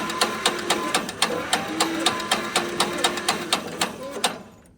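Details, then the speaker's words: Squeak from dry internals while slowly turning the engine of a tractor abandoned for 15 years by hand, about two clicks a second each with a short squeak; not sticking, owner suspects it is all just dry. "I don't think it's sticking, but it's squeaking. You can hear it squeaking."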